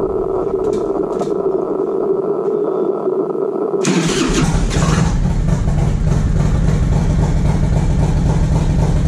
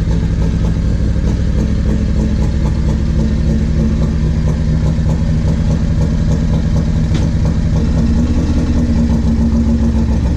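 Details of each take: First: 1994 Harley-Davidson Road King FLHR, 80-inch Evo with CV40 carb, Screamin Eagle air cleaner and 2:1 exhaust, after carb fix for light-throttle stumble: starter whirs, then catches to strong, even lumpy idle without stumbling; running normally. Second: 1994 Harley-Davidson Road King FLHR, 80-inch Evo, CV40 carb, Screamin Eagle 2:1 exhaust, before carb fix: uneven lope with stumble, hesitation and misfire on light throttle; carburetor fault, fixed afterward.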